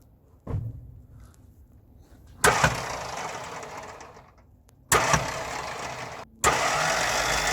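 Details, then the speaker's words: 1958 Mack B-21 fire truck, 1091ci Hall-Scott engine, after 30 years sitting: four short bursts of fast, light free-spinning whir with no cranking chug; starter spins but bendix not engaging, slight smoke and heat. "interesting starter's not engaging bump it a couple more times yeah give it a couple bumps"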